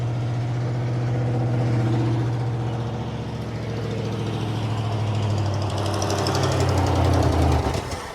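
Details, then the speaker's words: 1957 Dodge Texan, first start after sitting since July 2023: low lumpy idle that surges and sags with an irregular pulse about four a second; owner expects a huge vacuum leak from the loose carburetor. "so this thing runs it probably won't run too well with this huge vacuum leak"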